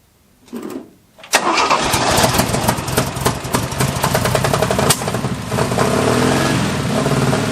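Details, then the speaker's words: 1974 Jeep CJ5 rock crawler first start after years sitting, with fresh gas, penetrating oil in the bowls, plug wires refitted and a fresh battery. A few seconds of cranking, then it catches and settles into a steady idle: normal start. "but you you could hear there she is fully awake and and ready to run now"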